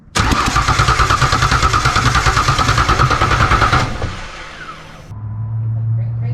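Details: Rebuilt Ford Ranger 4.0 on first start (new heads, new injectors): steady starter churn about three beats a second, never catches. Brand-new plugs pulled wet with fuel and sooty; owner suspects a fuel issue, unconfirmed.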